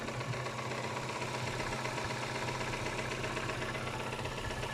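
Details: Kia Spectra 1.6 engine at steady idle: fast, fairly even light tapping riding over the engine, roughly two to three a second; engine knock, cause unknown.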